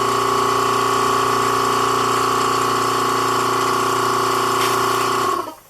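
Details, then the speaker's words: Vacuum pump bagging a composite motor tube: a steady electric drone that runs without cycling off because of bag leaks. Plugging the leaks lengthens the off periods; vacuum rose from about 7 to 12.5 pounds. "so as you slowly plug the leaks you kind of know you're gaining by how much time there is in between periods of the vacuum being on"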